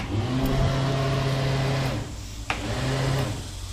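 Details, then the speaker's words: 1998 Bayliner Capri 1850 LS, key on during fuse box rewiring; the engine-bay blower fan runs with a steady low hum and even whir, no rattles or scraping, working normally while the bilge pump does not come on. "The bilge pump does not come on from what I can tell. So I'll have to look at that. Let's see. The blower actually does work."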